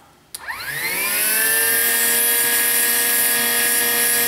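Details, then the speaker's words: 2005 Chevy Trailblazer with code P0410, after a pump connector repair: the secondary air pump whines steadily over a loud airy hiss from a hose connection that was not clipped in all the way. Secondary air hose leak. "we also have a little leak here so I'm glad we didn't just call it a fix and put everything up together because that would have been leaking like a sieve"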